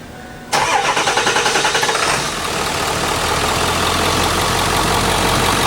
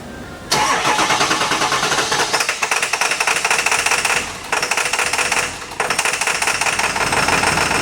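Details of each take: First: Ford 7.3 Powerstroke diesel after reconnecting the under-valve-cover injector wiring harness (code P1316, previously hard starting, misfiring, no power): brief cranking, then clean catch and steady even idle with no stumble; normal start and idle. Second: Ford 7.3 Power Stroke diesel with P1316, hard start and no power: runs on only four cylinders, idle sagging and flaring as injection pressure regulator struggles; suspected disconnected injector wiring harness under valve cover.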